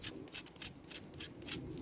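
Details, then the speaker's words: Skoda Fabia barn find during cambelt change: timing belt pulley spun by hand gives a dry, gritty rasp surging about three times a second; old pulley well worn, likely not changed with the last kit, rough bearing. "it's a bit rough as well."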